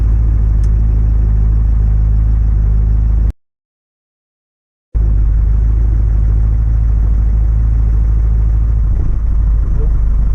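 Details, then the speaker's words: First start on a hot day after snapped-cambelt repair (head gasket job, 7 of 8 pushrods bent, tappet slider distorted), car in 5th gear: low rumble, slightly uneven and spluttering at first, then an even idle with no smoke. "she's spluttering. I've actually fixed something!"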